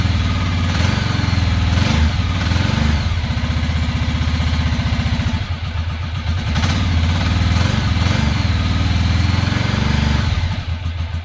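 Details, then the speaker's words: 2006 Ducati Monster S2R 800, after new fuel pump, before injector cleaning: lumpy uneven idle with missing pulses; front cylinder cold and not firing, only rear firing; owner suspects clogged injector, will swap injectors to confirm. "sounds like it's only around one cylinder is pretty cold front cylinder is not firing only the back one's getting hot so we probably have a clogged injector"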